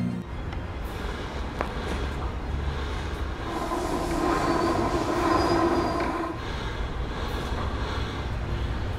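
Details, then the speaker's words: Rear final drive of a 2015 Honda PCX scooter after repair of the rear final-drive bearings and clutch, mic placed close to the rear; the rear wheel spins up with a smooth whirr and no grinding, whine or knocking. The final drive is now quiet. "Ah pois é minha gente eu mesmo de longe o microfone consegue pegar a minha voz nós aqui ó nenhum barulho bacana não é"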